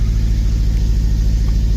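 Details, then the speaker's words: Honda Civic Si K20 with a newly installed Mercracing TVS 1900 supercharger, first start after ECU reflash, check engine light on: deep, uneven, lumpy idle that stumbles; suspected misfire, air-fuel ratio holding 14, no knock; rough idle. "kind of sounds like she has a misfire we'll see right now my Airfield ratio is staying at 14 no knock"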